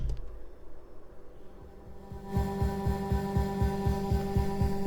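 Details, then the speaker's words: Rafferty Timepiece Triple Analogue tremolo pedal, owner complaining of choppy clicking, 330nF cap tested in parallel: steady low thump pulsing about four times a second under a held note, still present and much worse when the cap is removed. "Still hear the thump. Oh, it gets much worse when I take it off."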